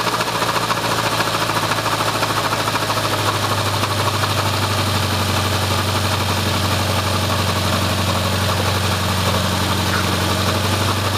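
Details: Subaru Impreza RS after a head gasket job and new timing belt tensioner, front cover off: steady idle with an uneven knock about two a second over the hum, loudest 1000–2000 rpm; traced to the timing belt tensioner.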